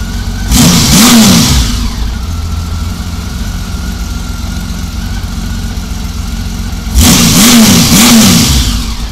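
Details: 1999 Honda Valkyrie Interstate six-cylinder at idle after carb rebuild and four-bank sync: two quick throttle snaps rise and fall crisply, settling straight back to steady idle with no hang or nosedive. Normal throttle response, though slow jets indicated slightly rich.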